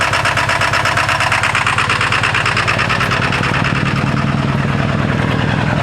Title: 1997 Ford F-250 XL 7.3L PowerStroke turbo diesel rough cold start (bad injectors) 65 degrees